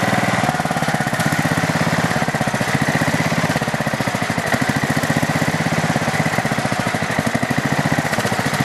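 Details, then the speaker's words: Craftsman LT4000 lawn tractor small single-cylinder engine on two-year-old unstabilized gas, carb uncleaned: a fast, even run with light rapid ticking; ticking noise the owner thinks is the valves, not certain. "i think that noise is the uh valves i'm not 100 sure uh most likely this engine doesn't need the valves adjusted"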